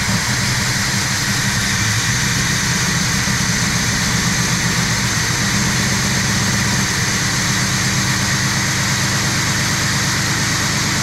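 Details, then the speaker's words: Old Oldsmobile V8 just restarted on its own fuel tank with the fuel pump and old gas, choke left closed, shop door shut: uneven loping idle with a rhythmic exhaust sway; running rich, later found to be choking itself out. "Oh, it looks like it. All right. I don't know why it's so lopey, but"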